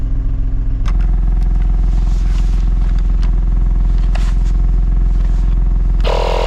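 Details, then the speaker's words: Corsa C stood unused for many years, first start: steady idle with a chuffing puff on each firing pulse, three or four a second; a blow somewhere on the exhaust, location not confirmed. "it's definitely got a bit of a blow somewhere on the exhaust"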